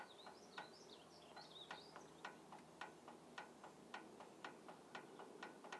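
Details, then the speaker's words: Auxiliary hydraulic valve solenoid from a 1994 John Deere 310D backhoe, cleaned and connected to a battery on the bench: sharp, crisp clicks about twice a second, showing the solenoid pulls in properly. "you'll be able to you'll be able to hear it clicking I'm picking it and rubbing it"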